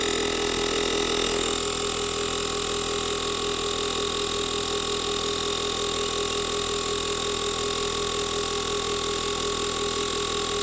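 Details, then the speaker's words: ULIXWH portable air compressor/jump starter inflating a Mercedes tire from 31 to its 33 PSI preset in about 30 seconds: a steady buzzing drone with a quick, even pulse and no rattles or labouring. Normal running. "I'm going to press the power button the bottom center button one time and it's going to inflate"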